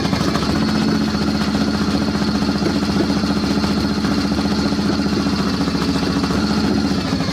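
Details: Warm Harley-Davidson Panhead V-twin, with distributor and advance, idling at a steady, loping beat with even low firing pulses and light valve clatter; the audible tapping is the carburettor slide. Normal, healthy idle.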